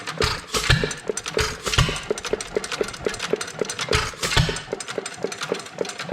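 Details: Domestic type F engine with mud sucker pump, governor spring shortened about a quarter inch: regular valve clicks about four a second with heavy firing thumps every second or two; runs steadily but too slow to pump water.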